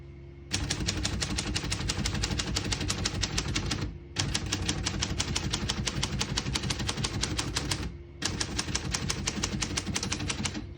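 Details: Serviced 1935 Corona Standard portable typewriter, typing test: quick, crisp key strikes in steady runs of about three seconds with short pauses; clean, even typing, normal.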